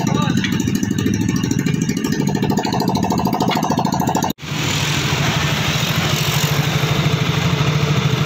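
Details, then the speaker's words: Yamaha Soul GT single-cylinder after an oil change and engine cleaning, fixing noise from overdue oil changes and empty oil: even, quick, tick-free idle across a restart; normal idle. "suara mesin kemarin normal guys"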